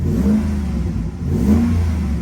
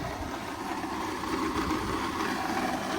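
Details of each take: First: Repo car at auction, shifting fine into reverse and drive, warming toward temperature: two clean throttle blips rise and fall smoothly over a steady idle with no knock or rattle; engine revs healthily. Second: Repo car at auction at idle: the engine itself runs smooth, but a coarse, gritty rumble comes from up front with no clear knock; a bad AC compressor bearing or another serpentine-system bearing is suspected, unconfirmed.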